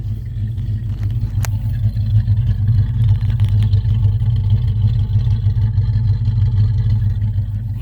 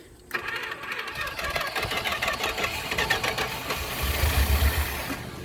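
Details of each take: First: 1976 Chrysler Newport, parked since about 2012–2013, running after first start in years: deep, even V8 burble with steady low rumble and no knocks or ticks; normal running. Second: 1976 Chrysler Newport after about 8 years sitting, fed starting fluid: uneven, labored turning over at three to four beats a second, catching briefly then fading; weak starter, engine won't stay running.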